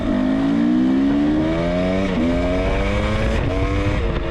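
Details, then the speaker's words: Carbureted Husqvarna TX300 two-stroke trail bike, newly built with a Wiseco piston, TMR-ported cylinder, FMF pipe and Rekluse clutch, about 10-15 minutes on it, on a road test run: crisp revs climbing cleanly, dropping on each short shift with no misfire; normal running. "Okay, so that's it. The hard part's done, and as you can see from some of this footage, the bike runs really good."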